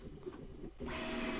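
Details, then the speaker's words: New Bambu Lab A1 3D printer during first-run calibration, after nozzle cleaning, with the bed at about 65. It runs a 7×7 (49-point) auto bed leveling: a soft click, then short, steady stepper-motor buzzes as the nozzle moves between probe points. Normal bed leveling. "now it's going to do bed leveling so it kind of tells you the status here of what it's doing so it appears it's doing a 7 by S so I guess that's what 49"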